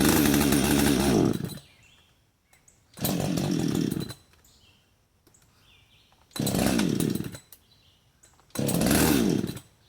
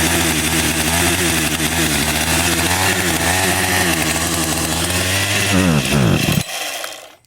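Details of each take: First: Husqvarna 562xp, hot after cutting, sat 15 minutes in the sun at 91°F and ~100% humidity, primer bulb only a quarter full: fires in brief bursts and dies each time; hot-start stumble, owner suspects vapor lock/fuel starvation. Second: Husqvarna 562xp chainsaw, hot after use on a 91°F, ~100% humidity afternoon, holds a crisp, steady high rev with clean throttle response; runs well once started, though owner suspects vapor lock causes hot no-start.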